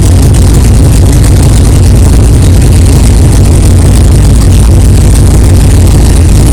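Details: 1964 Chevelle 383 stroker V8 at first fire-up after an 8-month build, not yet warmed up, 11° timing, 63 lb oil pressure: deep, steady idle rumble, even beat, no knocking or clanging; good oil pressure, healthy normal idle.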